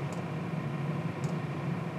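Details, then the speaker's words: Chinese diesel heater test with fuel damper fitted, around 60 dB, less smoke than before: steady low burner hum with faint soft dosing-pump tick about once a second; normal running. "it's still hovering around the 60 decibels carbon monoxide's much homogeneous uh it doesn't appear to be smoking as much as it uh did before"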